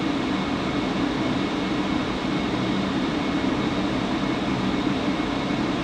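Steady, unchanging drone with a constant buzzing hum riding on top; the furnace blower is buzzing, cause not yet found.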